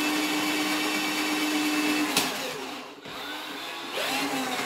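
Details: New Tacklife electric drain auger in reverse: even motor whine dipping and recovering as cable winds back in; reversing normally.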